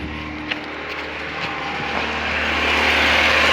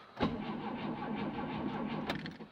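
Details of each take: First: Carbureted VAZ-2109 that cranked but would not start unless fuel was hand-pumped, now starting after the fix: steady fast beat, revs climbing smoothly without misfire; normal running. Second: VAZ 2109 with carburetor, charged battery and good spark: starter spins evenly for about two seconds but the engine never fires; crank no-start from fuel supply fault, since it starts only when fuel is hand-pumped with the fuel pump.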